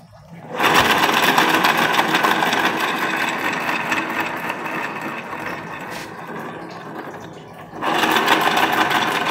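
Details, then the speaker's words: Honda Beat FI scooter with rough starter complaint; dry, gritty, uneven whirring chatter from the CVT drive side while running, traced to a worn, damaged pulley shaft bearing; sliding pieces look good, mechanic suspects empty gear oil caused the bearing wear. "Oh ini teman-teman nih berarti kurang lebihnya ada masalah pada laher as puli CVT ini teman-teman yang ada di dalam ya"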